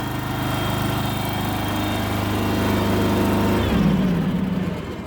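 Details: Kohler engine in a Terramite T5 mini loader, which previously would not stay running, after fuel pump replacement: runs smooth and steady for several seconds, then pitch drops as it slows; running normally.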